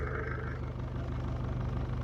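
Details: 1968 Mercedes-Benz swapped to an OM616 diesel, at idle with a new homemade exhaust using a Saab muffler: even low diesel clatter with a steady drone, no pipework knocking against the floor, sounds healthy.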